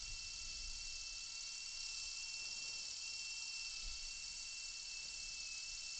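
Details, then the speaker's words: Small motor spinning a propeller on an Arduino Uno R4 WiFi IR tachometer: thin high whir with slightly uneven, sagging pitch, RPM starting well over 1,200 and dropping; motor sounds like it is struggling and losing speed, cause unknown. "Starting off well over 1,200 and coming down. Um not sure exactly why that is. I do hear my motor struggling a little bit."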